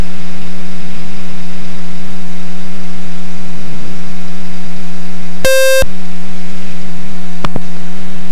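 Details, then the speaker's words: Experimental RV7 during a high-speed taxi test. A steady engine hum is broken by a sharp, pure alarm tone of about a third of a second from the Dynon avionics. The cause is not yet investigated. "I do apologize for this. I should have investigated this dining alarm."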